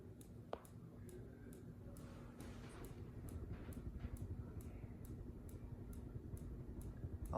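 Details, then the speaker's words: Minka Aire Volterra ceiling fan running: a light, sharp tick about twice a second, keeping an even beat with rotation. The fan wobbles slightly, and the clicking stopped and may return when the fan is wiggled. Source unclear. "you hear that clicking noise something is clicking there you hear it"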